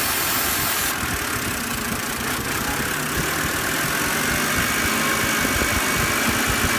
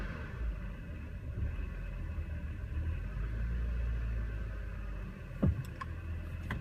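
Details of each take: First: BMW after cleaning the throttle actuator, which fixed its rough idle and stalling at stops: a steady, even idle with the fan whirring, no stumble or hunting. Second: BMW with codes for a cylinder 4 misfire and low throttle airflow, carbon buildup on the throttle actuator, idle tested with AC on and off in neutral and park: a low idle that swells and sags unevenly, hunting and shaking.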